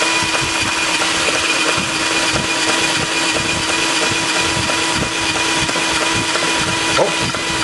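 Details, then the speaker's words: Home-built small six-cycle engine running at high revs. A sharp, fairly regular knock rides over its buzz; the builder thinks the spark timing is off, possibly firing too soon or too late, not confirmed. "there's almost sounds like it's firing too late and you can hear that knock so that's the power stroll this compression here should fire right about I think it's firing just a little too soon"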